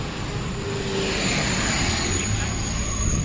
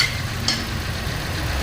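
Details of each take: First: Toyota Rush after repair of cylinder 2 misfire (no spark despite new coil and plug): petrol engine idles smoothly and very stably, no stumble or misfire. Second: Toyota Rush petrol engine at idle in a cylinder cut test after repair: cylinder #2 previously had no spark despite new coil and spark plug; pulling a connection makes it idle unevenly with a low throb, then idle is stable again once reconnected.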